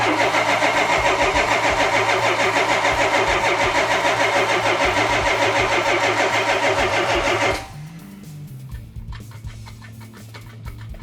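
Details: 1972 Yamahauler van engine, fuel pump swapped to electric, cranked to pull fuel up: steady fast starter cranking about seven seconds, then quits without ever firing; cranks but won't start.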